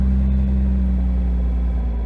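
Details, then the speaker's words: 2JZ-swapped Nissan 300ZX with CD009 transmission and Grannas Racing Tilton ST246 twin-disc clutch, about 2,500 miles at nearly 600 lb-ft: idling just over 1000 rpm in neutral, pedal off, smooth rumble with no bell housing rattle. "Now, I don't hear any rattling at idle. Genuinely, no rattling."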